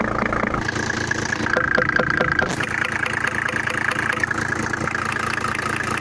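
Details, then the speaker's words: Mercedes W124 with swapped-in used OM603 3.0 diesel: idle with a sharp, regular tapping knock, about three a second, over the clatter. Traced by touch and stethoscope to the cylinder 5 injector; a sticking nozzle is suspected. "и отличия я услышал форсунка вот эта форсунка на пятом цилиндры меня так патрубки такой стук-стук-стук стук-стук-стук слышно"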